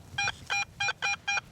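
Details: Garrett AT Pro in Pro Mode with double-D coil on a trashy old home site: crisp high beeps about four a second as the coil sweeps back and forth, a consistent target about 6 inches deep amid snapping and popping.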